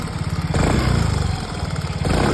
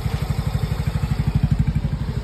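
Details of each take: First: Yamaha Mio Gear 125 scooter with 25,190 km, at idle. A quick, even ticking keeps time with the engine beat; the cause was a loose spark plug and spark plug cap. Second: Yamaha Mio Gear 125 scooter with 25,190 km, idling after its loose spark plug and cap were tightened. A steady low thumping about nine times a second, smooth with no ticking: the idle is normal again.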